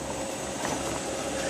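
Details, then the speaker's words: 1946 South Bend Heavy 10 (10L) lathe on VFD, gearbox engaged: soft even hum and light whir from straight-cut gears meshing and releasing, no knocks or rattles; normal, very quiet running. "so there is gear noise from the gears uh meshing and uh releasing contact so that's what one is hearing now"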